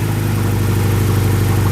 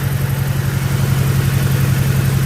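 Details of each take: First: BMW E90 just restarted after running out of fuel: low, loud idle with an uneven, pulsing, limping beat rather than a smooth hum; rough idle that smooths out shortly after. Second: BMW E90 restarted after running out of fuel: first runs limping, then settles into a steady, even low idle with regular firing pulse and no misses; running smoothly.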